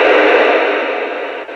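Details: Radio interference from a Raspberry Pi's switching power supply (wall wart) nearby: loud, steady rushing hiss fading slightly over a couple of seconds; cured by snapping ferrite toroids onto the power cord.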